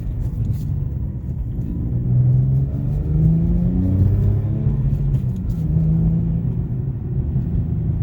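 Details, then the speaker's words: 2010 Infiniti G37 Type S coupe, 6-speed manual, with a new Top Speed Pro-1 dual exhaust, heard from inside while driving at low rpm under light acceleration: steady low rumble rising gently, smooth, no rasp or drone, audibly different from stock. Normal. "I definitely hear the difference. I'm sure it's louder outside, but once again, I didn't buy this to have the loudest one on the block."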